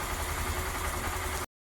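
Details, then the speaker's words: Honda Fan 125 fuel-injected motorcycle after repair of a head noise that worsened when hot: brief smooth even idle with a steady low hum, no ticking or rattle; normal idle after repair. "creio que só era esse o problema que tava aquele barulhinho lá tá o resto não achei nada errado"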